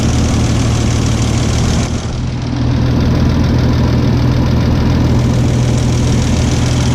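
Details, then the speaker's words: 1989 Toyota FJ62 six-cylinder, 291k miles, parked ten years, after rescue and valve rework: steady, even, smooth idle with soft quick patter, no knocks or misses; running sewing-machine smooth. "got it pretty sewing machine like i'm happy with that"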